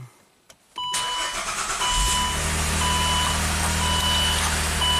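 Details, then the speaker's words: 2008 Saab V6 Turbo with former cylinder 3 injector circuit fault (P0203), after replacement engine computer and throttle body relearn: brief crank, catches at once, settles into steady even idle with a chime; running normally. "and smooth perfect well I'm not gonna run it too long"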